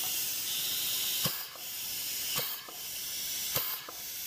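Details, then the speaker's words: 200-4R automatic transmission being rebuilt for a 1932 Ford: air pressure check of the clutch pack after clearances were checked within spec. Steady air hiss with a dull thump each time air applies and no leak roar, so the clutches lock properly. "they lock that means you're perfect thank you very much that means our clutches are working just fine with just simple air pressure"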